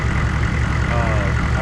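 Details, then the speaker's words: 1994 2500 diesel truck after a new fuel filter; glow plugs were allowed to cycle off and it fired immediately, starting better than ever before. Short stretch of steady diesel idle, even firing with no stumbling or surging. "But as you saw, I let I let the uh glow plugs turn off and as soon as I hit the key, she fired right off. Actually fired off way better than she ever did before."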